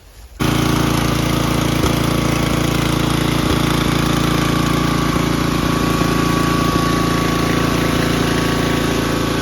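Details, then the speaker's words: Toro Groundsmaster 52 mower with a replacement cast-iron Briggs & Stratton 16 hp single from a scrap mower, swapped for a blown engine and fitted with a different carburetor to cure stalling. Even, steady single-cylinder thump at smooth idle, no misses or surging. "It looks like it's idling well, it's running well, you know, for an engine in this condition."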